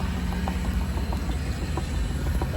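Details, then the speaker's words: Pump running forward at speed 8–9 to purge air before bleach cleaning in shipboard CTD eDNA filtering; low pump rumble with irregular light taps of air bubbles passing through the hose. "Yeah, eight or nine is good for getting the air bubbles out. You can hear the tapping of the air bubbles passing through the hose."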